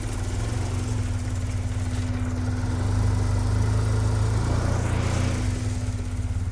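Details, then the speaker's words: Turbo Acura Integra first start after new injector install and tuning, following an 1,800-mile road trip; low, lumpy, wandering idle running very rough, thought to be from ignition timing reset because the service connector wasn't jumped, fixed by adjusting timing. "It's running really rough. I don't know what's going on. That's weird, man."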